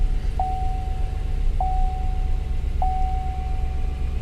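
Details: Salvage-auction work truck with only a low-tire-sensor warning: a steady, even low idle rumble with a soft chime beeping about once a second. The engine runs smoothly, normal idle.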